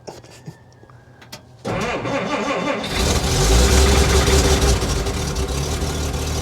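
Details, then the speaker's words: Cold Willys needing a choke cable, the choke held by hand, just started. It catches and settles into a rough, wavering, stumbling idle that has been raised slightly; it wouldn't idle until warm and reportedly runs well once warmed up. "it's stumbling right now so you can hear it running it's idled up a little bit it's been some damn cold didn't want to idle until it got warm"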